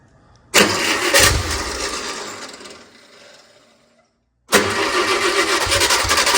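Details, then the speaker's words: JLG 40G manlift engine after wiring troubleshooting and battery charging: cranks, catches quickly and settles into a steady, even run after a brief drop; runs well. "out she runs kind of hard to do one handed holding my phone but yes it runs well guys"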